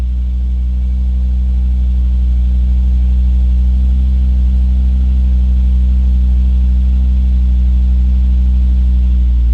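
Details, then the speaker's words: Volvo V50 T5 cold start after sitting about 18 hours, windows down, wind guard removed from the microphone. A steady, deep, even idle with no exhaust manifold squeal or chirp. "you guys heard that absolutely no squeal today"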